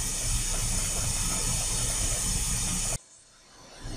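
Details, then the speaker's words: Shinko steam turbine line blow at about 3,000 kg/h, planned for 20 minutes, with the steam going through or bypassing the turbine and venting out the stack; steady loud, unbroken hiss through the blow valve, then cutting off as the blow ends; steady normal flow. "Okay guys, so we started our blast. If you have a look at the stack, you can see there's our steam being released. It's going through the turbine or bypassing the turbine and going out the stack."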